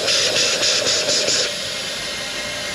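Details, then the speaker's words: Freightliner M2 truck, rear axle air suspension: steady high hiss with a slight pulse settling, air escaping from hairline cracks in the airbag underneath; truck loses air within five minutes after shutdown; airbag and leveling valve replaced. "a little hairline crack right there is causing is what air is leaking out there's also another crack over here you can probably hear the difference"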